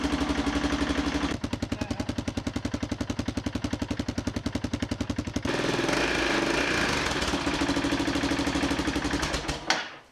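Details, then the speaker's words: Motorcycle running during MoT prep, checking a silencer that tends to open up at its rivets: sharp popping exhaust pulses, three to four a second, changing with throttle, an exhaust leak at the silencer rivets needing work. "While I'm here though, I'll see if it leaks. This silencer's got a habit of opening up a bit where these rivets are, so I may redo that as well."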